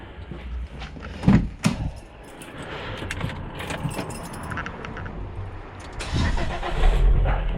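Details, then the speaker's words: 2003 Volvo XC90 just fitted with a new 900 CCA battery (tested healthy, 85% charge) after low-battery no-starts: brief key rattle, brisk cranking, prompt catch and steady idle during a cranking test; cranking good, starting system healthy. "There we go, more than enough to fire it up. Engine detected, it's doing its test. Right, cranking's good."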